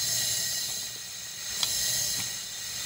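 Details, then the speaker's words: Powerfist 420cc engine on a 5,000 psi pressure washer, stored two years after about an hour's use, under leak-down test: steady high airy hiss at the valve cover crankcase vent, changing with a dowel; air leaking past the piston rings. "that's exactly where we're leaking air from so using a piece of dowel to just show you guys hear the noise changing"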